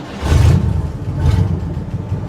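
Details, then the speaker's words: 1960 Chevrolet Impala small-block V8, revived after sitting 32 years, started cold after two days parked: it sputtered at first, then settled into a deep, even, smooth V8 rumble with two quick throttle blips and no vibration. "listen to how it runs too she was sputtering in the beginning but listen to it now not a vibration one"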